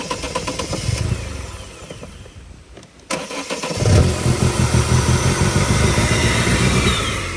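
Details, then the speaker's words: Vauxhall Corsa VXR with replacement engine after blown head gasket, exhaust refitted, no coolant, brief run in rain: cranks, catches around four seconds, settles into steady even idle; solid engine, codes still to clear. "There you go, that's it idling. Like I say, you need to clear these cords, but that's a solid engine right there."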